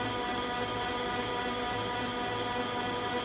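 A loud, steady droning whir with a faint uneven pulse throughout the startup cycle; cause unknown.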